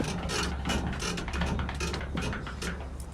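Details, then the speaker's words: 1997 GMC Sierra Z71 rocked by hand: rapid creaking squeaks about three a second from worn leaf spring shackle bushings, also clanky over bumps; greasing is a temporary fix, bushing replacement recommended. "hear that squeaky noise that's your bury your bushings I mean these are your so inside these leaf spring shackles"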